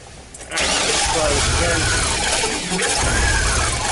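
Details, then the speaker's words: 2003 Chevy Astro van, running after an ignition module replacement but still with other faults and a MAF code: catches and settles into an uneven, lumpy run with a wavering note. "So we put an ignition module in it, and now the truck does run. However, this truck has other problems. It runs like crap. I'll show you."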